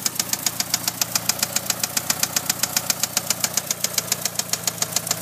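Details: 1997 Eclipse GST at idle with a sharp, even, metallic valvetrain-type tick, about 220 per minute. The owner is asking what causes this knocking/ticking noise; cause not yet identified.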